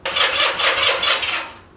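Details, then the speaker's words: Honda CM185/CM200T motorcycle, first repairs with a new battery and plug, fuel on and choke on in very cold weather: starter spins in even pulses but it never fires; fuel smell and spark are present, and the owner suspects it is too cold. "the good news is the bike Powers up it turns over I can definitely smell a little fuel coming through the engine and it definitely sounds like I've got spark"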